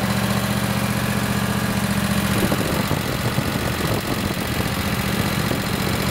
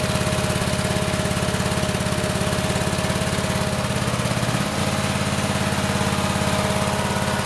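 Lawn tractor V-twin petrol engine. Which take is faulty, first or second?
second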